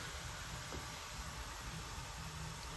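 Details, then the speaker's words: Steady hiss over a low rumble as wind escapes strongly through unrepaired 64-year-old leather on a Casavant pipe organ reservoir beneath the wind chest. "This is 64-year-old leather, and maybe you can hear the hissing. If I put my hand here, I can feel wind coming out quite strong."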